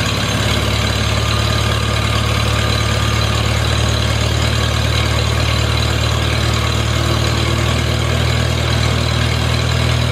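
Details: Farmall Super A tractor, cool after sitting, starts after grounds and wires were fixed to restore spark: even, steady low rumble with no misses, knocks or hunting; smooth, healthy idle, owner thinks she'll run fine.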